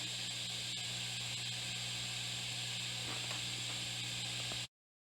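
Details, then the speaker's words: 1964 Fender Deluxe Reverb tube amp after restoration (filter caps, tubes, biasing), guitar volume up; only soft even hiss with faint low hum, no crackle or popping, quiet as a mouse; normal amplifier idle noise. "As you can hear, this amp is quiet as a mouse. Well, not quite a mouse, but anyways, the amp works great, sounds great."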